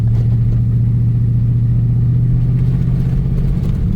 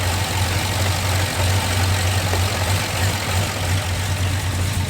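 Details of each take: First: Old Chevrolet Silverado original engine, unrun for about 1.5 years, fresh gas, while driving: heavy uneven low chugging under load, poor brake vacuum, traction messages. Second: Old Chevrolet Silverado with newly installed crate V8, first run before tuning adjustments: deep even idle with slight lumpy chop, no knocks, ticks or misses, no leaks; engine healthy.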